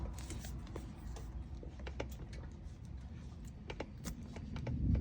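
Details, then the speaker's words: VW T5/T6 van with DSG gearbox and a slack felt when lifting off the accelerator on long trailer-towing trips; light irregular clicks and knocks as the wheel and shaft are rocked by hand at the gearbox-side boot; suspected worn inner CV joint. "It actually feels like it's coming from this other boot up here, the one into the gearbox. So there, look, I can feel some knocking there."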